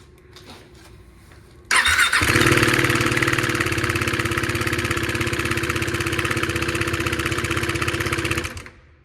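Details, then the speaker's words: 2016 KTM Duke 390 that began making noises riding home: fast, fairly steady metallic rattle about three ticks a second over the idle from the top end; owner suspects a failed timing chain tensioner, later replaced. "Yeah, it's terrible. This knocking sound, I thought something was wrong with the engine."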